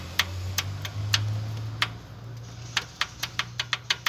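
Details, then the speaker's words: Onix Plus naturally aspirated, 140,000 km, noise after an oil change: knocking at idle on startup and a lifter-like tap when revved, speeding to about four knocks a second. Lifters were ruled out; the cause is piston slap, reportedly sudden onset. "Lateral de pistão. Diz o cliente que foi do nada."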